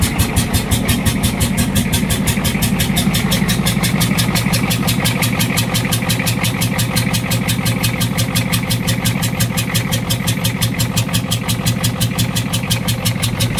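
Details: 6.9 IDI diesel idling with a loud, clattery, slightly uneven pulse about three beats a second; head gasket suspected, not confirmed; rough diesel idle.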